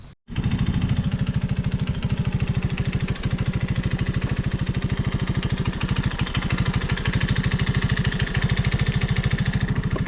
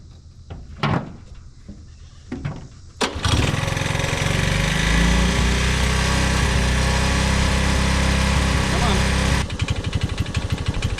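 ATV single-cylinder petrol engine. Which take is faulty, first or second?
first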